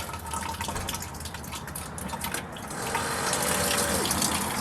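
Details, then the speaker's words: Ford F-250 rear-tank fuel pump tested via test connector; liquid splashes unevenly then a steadier gush with faint pump whine. Both front and rear pumps now working; normal fuel delivery. "So we got both sides working now. So I guess we fixed it."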